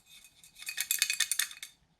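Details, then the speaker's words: 1983 Suzuki GS1100E oil sump removed during engine case split, sump full of metal shavings: bright metallic rattling in bursts as it is shaken; loose debris in sump, turned out to be a broken-off screw head. "I wonder if it's that screw head that's in here."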